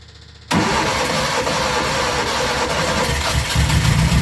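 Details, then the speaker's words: Junior Micra stock car, first start after engine refit and throttle spring and fuel pipe work: catches suddenly into a rough, uneven idle with some extra throttle; started eventually after flooding, cause unknown. "come [Applause] no good okay it's quite successful eventually no idea why it's flooding to start with"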